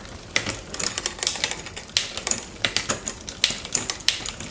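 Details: Raleigh Detour 2 on the stand after new derailleur hanger, shifter and tune-up; light crisp freewheel and chain ticking with clean shift clicks, no grinding or skipping; shifting sounds properly adjusted.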